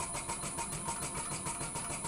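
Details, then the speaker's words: Graco QUANTM electric double diaphragm pump running with fluid present, just before dry suction is simulated by closing the inlet valve: quick, regular pulsing about four strokes a second, even rhythm, no stumbling; normal cycling. "We're going to simulate that now. You'll hear the pump is cycling as normal."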